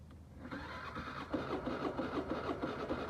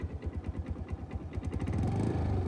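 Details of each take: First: New Suzuki scooter on electric start: starter whirs and engine turns over but never catches; compression checked good with kickstarter, battery seems weak, and it later started on the kickstarter. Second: New Suzuki scooter that cranked on electric start but wouldn't start, battery seeming weak: started with kickstarter, slow uneven puffs then a steady, smooth idle; runs fine after kickstarting.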